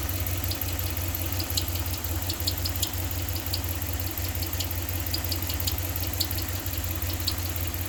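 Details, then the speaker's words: 2015 Ram 1500 5.7 Hemi at idle with drive belt removed: light irregular metallic ticks over steady idle, no belt noise; internal engine tick, louder from below, cause undetermined. "y se oye y se oye qué significa esto el ruido lo tenemos internamente no un río lo tenemos con la parte del motor"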